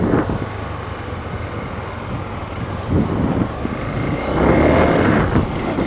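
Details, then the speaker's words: Motorcycle (JF300) riding normally after the loose chain-adjuster cap, which had been rubbing against the chain and bolts just after a tyre change, was refitted; steady engine hum, rattle from the chain area now gone. "Bora ao que agora parou o barulho capinha ali tava solto a capinha eh onde você regula a corrente"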